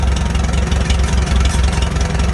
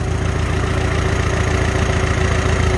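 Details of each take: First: Farmall H tractor with a Delco distributor, idling slow at about 450 rpm during carburetor adjustment: lumpy thump with a light metallic ting over it, from something loose that needs tightening. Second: Farmall H after carburetor adjustment, idling at 450 rpm: slow, even low throb with a steady beat and no tinging or knocking; healthy settled idle.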